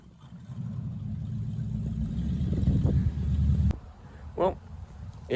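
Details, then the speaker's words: 1973 Plymouth Barracuda, hopped-up 360 V8, 727 automatic, after replacing the old Holley carburetor with a newer Edelbrock: deep rumble steady under throttle, drops back to calm idle, pulls cleanly without stumble or misfire; runs better than it used to. "definitely runs better than the way it used to. That's for sure. You know, with a little bit newer carburetor on there, of course, it'll run better."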